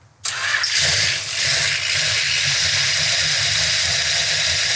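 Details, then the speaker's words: Numbers-matching 1968 440 Magnum V8 from a 68 Charger R/T, first fire-up after restoration on an engine run stand: catches at once, steady idle under hiss; lifters not yet pumped up, sounds great. "now I always expect them to be noisy because the lifters aren't pumped up yet but boy it sounds great"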